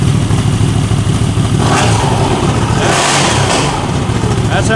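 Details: 2021 CFMOTO CForce 800 ATV after the clutch bearing and shifter fix: a steady, even idle with no knocking or grinding. The engine and clutch sound healthy.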